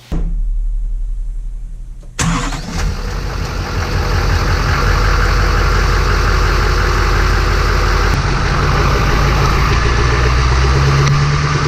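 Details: 2007 Chevrolet 3500 Duramax diesel after new front brake pads and caliper boots fixing excess pad clearance; starts and settles to steady deep rumble, no front-end rattle over bumps.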